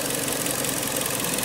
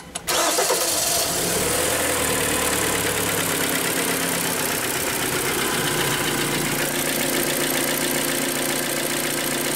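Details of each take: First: Kia Sportage 3 with G4KD 2.0 petrol engine that had a cold-start knock, after repair and reassembly: steady even idle, smooth hum, no knocking or tapping. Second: Kia Sportage 3, G4KD 2.0 petrol, cold start: fast idle with steady rapid knock, appeared mid-winter; local shops suggested valve adjustment or chain replacement; engine being removed for full teardown, suspected piston slap.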